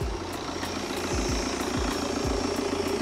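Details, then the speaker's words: Wrecked 2016 BMW F22 2 Series with frontal impact, intercooler missing: steady idle with thin high whistle and soft periodic thumps, turbo blowing a lot of air like a dump valve, engine otherwise sounds good; loud turbo noise. "it's blowing a lot of air that's because the intercooler is gone so it sounds like it's got a dump valve anyway"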